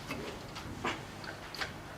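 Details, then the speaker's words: Sieg X2 mini mill spindle drive head gearbox, shaft turned by hand in high speed, giving irregular light clunks and ticks: stripped gears inside, damaged years earlier. "okay that's now high speed now you can hear it Go clunk clunk yeah hear it so the gears I have stripped in there as well"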